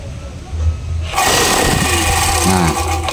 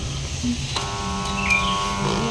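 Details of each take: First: Electric air compressor that only hummed, capacitor good, piston/bearing found stuck and short of oil: after lubrication the motor kicks in after a second and keeps a steady busy chatter, spinning freely during a brief test run. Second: Electric air compressor that won't work: a click when plugged in, then only a steady electrical hum with no spin-up. Capacitor checked good; the piston/bearing inside is seized and damaged.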